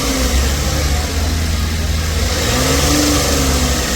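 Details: 2009 Lincoln MKX after addressing the faulty crank sensor that had caused a crank, no-start condition with no codes: the engine picks up cleanly and holds a smooth, even rev with no misses, knocks or stumbles.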